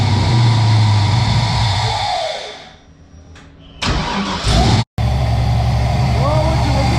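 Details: Toyota GT86 with LS 5.3 V8 swap, freshly ported heads and valve job, after fixing a no-start; starter catches and the V8 fires loud, settling into a steady deep idle with no knocks or misses: normal start and idle.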